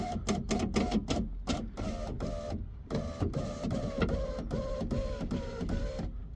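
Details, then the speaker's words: 2017 Mitsubishi Outlander power window right after window regulator replacement and rewiring: short motor whirs repeatedly start and stop, about two a second, window won't stay down; suspected faulty main window switch, unconfirmed. "Alright, this is completely random, but it does not stay going down."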